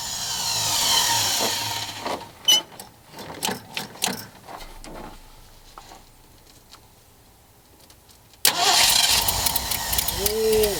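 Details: Ford Bronco first start in 12 years after timing and new plug wires: short cranking bursts, pause, then catches and roars on fuel poured into carb bowl; fuel starvation.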